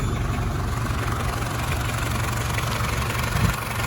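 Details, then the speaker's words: Citroën Berlingo 1.9 diesel after replacing the worn crankshaft bottom pulley, bolt torqued to about 110 Nm: low, steady idle with an even beat and no knocks or rattles; exhaust knocked slightly only at first start. "this should sound like a new vehicle"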